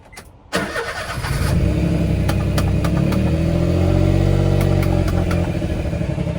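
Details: Auction car, grade R manual four-wheel drive: starts, then the idle wavers and sags unevenly as if about to stall. Rough, unstable idle of unknown cause.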